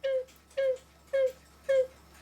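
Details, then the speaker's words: Swiss-style German clock whistle box after cleaning sawdust-like debris from the reed and back board and re-gluing: four clear short whistle notes at a steady pitch, half a second apart. The whistle sounds properly. "that's better than nothing and all it was is removing this board carefully and cleaning the re that blows across right at the opening right against this board here"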